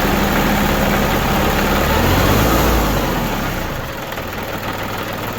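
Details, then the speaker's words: New Holland Boomer TC25D diesel tractor after new fuel filter install (water and debris found) and bleeding air from the system: steady, even idle clatter with no stumbling or hunting; normal idle. "That's it. Sounds pretty good."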